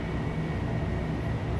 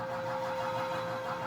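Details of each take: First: 1982 Emerson 24-inch whole house fan switched to high speed: steady, even rush of air with a deep, constant drone and a faint high hum; normal running on high. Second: 1982 Emerson 24-inch whole house fan: steady fan whir with a buzzing tone from the loose outside wire mesh screen vibrating; its bolts need tightening.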